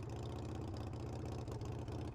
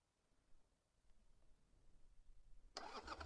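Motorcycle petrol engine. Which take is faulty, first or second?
second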